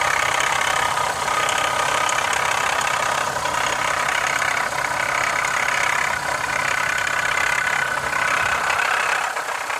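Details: 2015 Honda CR-V idling with a busy, tinny rattle riding on top, loosely repeating about four times a second; cause unknown.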